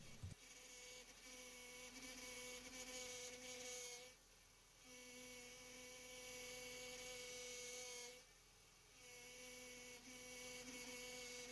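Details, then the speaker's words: 2001-2005 Honda Civic after replacing the leaking power steering pressure hose, with fluid filled to the full mark and the engine started: steady high pump whine that drops out twice and returns. The level is dropping as fluid circulates, with air still in the system until bled. "And now that we got it to the full mark, we can turn the car on and you'll notice that the fluid level will drop and begin to make that awful noise as it circulates the fluid, causing the reservoir to run low."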